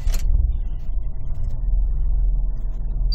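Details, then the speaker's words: 2004 Subaru Outback idling very low with a slightly uneven, pulsing rumble; stalls randomly but not here; IAC valve and intake cleaned and plug wires changed without help, cause unknown. "it's idling actually but it's idling very low and it'll stall every once in a while"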